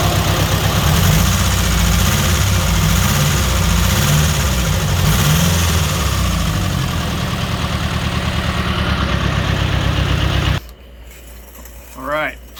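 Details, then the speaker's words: Nissan S14 240SX SR20DET with FiveO 750cc injectors, untuned. Idle lopes unevenly with a wavering low thump and stumbling beat before shutting off. Running too rich; owner doubts SAFC tuning can fix it. "they're clearly too rich to run the car properly and i don't think any amount of uh safc tuning is gonna fix that"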